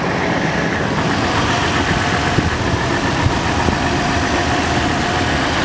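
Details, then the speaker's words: 2010 Toyota 4Runner, 200K miles, warming up at idle with the clutch fan roaring: faint timing-chain whir underneath, the ticking the customer worried about, judged normal for this engine. "so right now you can just barely hear it and it sounds like like a chain like a timing chain noise"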